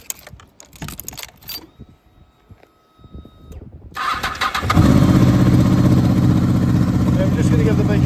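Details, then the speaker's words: 2007 Honda VFR800, 36,000 miles, upgraded exhaust, cold start: after some handling noise the engine catches at once and settles into an even, steady idle with no knocks or misses; healthy start. "You may already be able to hear how good that exhaust is."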